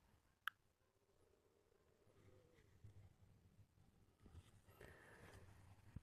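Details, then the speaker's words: Dosimeter DP-5V measuring in range 01: a few sharp isolated clicks, about two in six seconds, over near silence, normal background radiation clicks. "Then, to check whether it really works at all, we can put it in the control mode. That is, we take our letter K, transfer the control source to our window and hear this kind of crackling sound."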